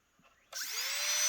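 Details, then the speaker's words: Carving micro motor after cleaning and replacing brushes, plugged back into controller at minimum setting, 45,000 rpm: fast spin-up to clean, steady high whine with no rattle or chatter; runs like new. "And that's 45,000 RPMs right there, guys. 45,000 RPMs."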